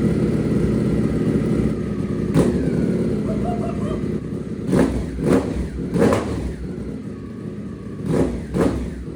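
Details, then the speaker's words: Rebuilt 2024 Ducati V4 Panigale off-road build, started briefly on open headers, no exhaust. Very loud raw bark with sharp throttle blips rising and falling cleanly; the engine runs strong and normally, untuned. "we should probably start it just once with open headers I won't let it run long because it's very late at night that was so loud"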